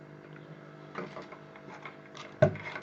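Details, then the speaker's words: Low-frequency 48V 6kW solar off-grid inverter running after power supply repair; steady low transformer buzz with handling clicks, normal hum when switched on, stops in standby. "go clockwise it's running I can hear it buzzing"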